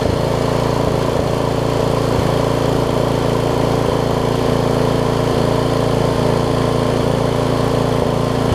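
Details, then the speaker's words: Craftsman rear-tine tiller with 5hp Briggs engine, stored for years, after cleaning, new carb diaphragm and a slight carburetor screw adjustment; steady, even single-cylinder beat with no stumbling or surging, running great. "I just adjusted the screw out there a little bit listen to that thing run now things are amazing"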